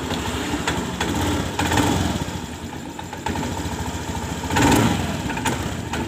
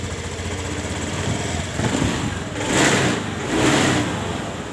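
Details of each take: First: Honda Scoopy scooter: idle surges, sags and stumbles instead of holding steady. The complaint is an unstable idle, stumbling on throttle and stalling; no fault code shows. Cause not confirmed; fuel pump pressure is checked next. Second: Honda Scoopy with unstable idle and stumbling on throttle from low fuel pump pressure, after a workaround to raise pressure: steady even idle, then two quick throttle blips rising cleanly and dropping back; crisp response, running healthy.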